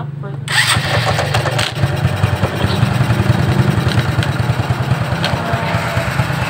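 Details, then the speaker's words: Shogun 125 motorcycle, started on electric starter: engine idles with an uneven, random clatter over the low thrum, irregular rather than a steady knock, first suspected as a connecting rod knock; found to be a loose nut rattling inside the clutch cover. "Suaranya berderak, hampir seperti bunyi ketukan batang besi."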